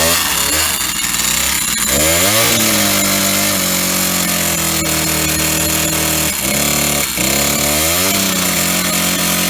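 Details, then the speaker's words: Old Stihl 08S chainsaw, first start in a while on old gas, running off choke: screams at high revs but pitch sags hard when cutting a log; knocking, top or bottom end unknown, very low on power. "so it's definitely knocking and uh either on the top end or bottom end she's quite loud there she's uh very low on power she really struggled with that log there"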